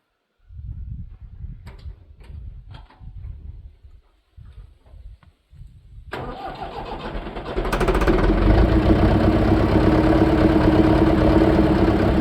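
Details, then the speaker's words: Leyland tractor diesel, about 15 years without service, feared seized, on jumper cables: slow uneven cranking, then catches and runs on starting spray; engine turns freely, so fuel delivery fault. "so we have a fuel delivery issue only problem is I don't know how to get any fuel"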